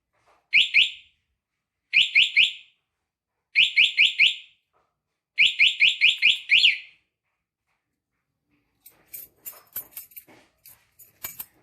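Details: Motorcycle remote alarm after installation, vibration sensitivity test at low and high levels: sharp high chirps in bursts of three, four, four, then six, followed by light knocks; alarm sounds when the bike is disturbed.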